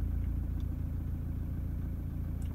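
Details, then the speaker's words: Toyota Prado 150 diesel, cold start 1–2 minutes in, heard from cabin: low uneven lumpy idle, rough returning to idle; injector imbalance at cylinders 2/3 suspected, possible cracked piston, not confirmed. "Yeah, it's like rough coming back to idle. Rough idle."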